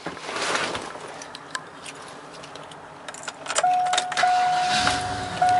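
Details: Lifted 8.1L big-block V8 Chevrolet Suburban LT, 4WD, 116,000 miles, cold start: keys rattle and the door chime pings, then a brief crank and immediate catch into a deep, steady rumble; normal cold start.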